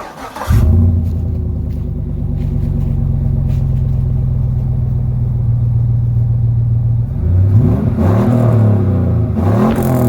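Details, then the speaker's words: Pickup truck V8 at idle after swapping Edelbrock muffler for a 2.5-inch Magnaflow on 3-inch pipe: deep, even burble with a soft blip, quiet like stock, no rasp or drone; quiet exhaust note, owner regrets the swap. "yes oh you can tell it's mighty quiet don't sound much different than stocks hook"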